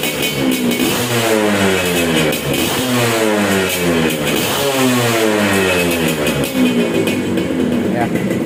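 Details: Restored Suzuki Satria two-stroke motorcycle, sound check after the restoration was finished: crisp ringing two-stroke note climbing and dropping cleanly with each throttle blip, no misses or rattles. Normal, healthy rev.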